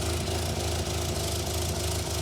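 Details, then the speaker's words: 1963 Austin-Healey Sprite, cold start after cleaning and refitting the SU carburettors and working on an exhaust leak: low, even thrum with a steady pulse and no stumbles or popping. Already sounds much better; smooth cold idle before warm-up and tuning. "Got the key on. Let's see what happens. Already sounds a lot better."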